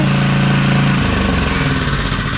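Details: Small two-stroke edger engine after the idle mixture screw was reset and its loose nut addressed; started without choke. Catches and settles into a steady, even buzz with no misfires or surging. Normal running.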